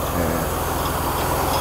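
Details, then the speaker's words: Mercedes-Benz W126 300SEL, US-spec, idle raised while warming up after distributor and injector work: steady idle with regular metallic clatter tied to engine speed; harmonic balancer (timing disc) rubber separated, ring banging. "But We can hear that noise now. This is actually it."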